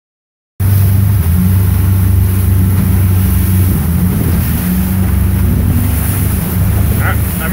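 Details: 2016 Mercury 115 four-stroke outboard under load: low uneven throb with irregular stumbles, three or four a second, a misfire; ran fine after shutting off in neutral and resetting.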